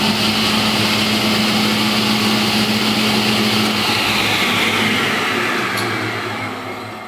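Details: A restored 1966 Powermatic 66 table saw with a Century 2 hp motor and Square D starter gives an even motor hum and steady blade whir, then coasts down smoothly with no knocks or grinding; runs normally after the restoration.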